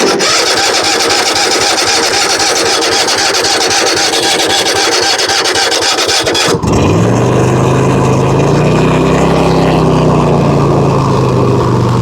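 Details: Zero-turn mower with 96.5 hours after fixing no-start (leaking aftermarket fuel shut-off valve drawing air, lines not refilled after running dry): loud steady run dropping to smooth even idle, no stumbles; running normally.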